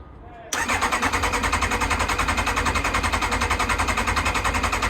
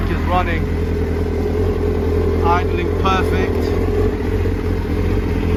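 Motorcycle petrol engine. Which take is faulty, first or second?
first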